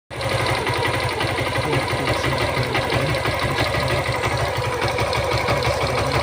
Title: gixxer fi engine sound problem 😔😞💔 #tseries #bike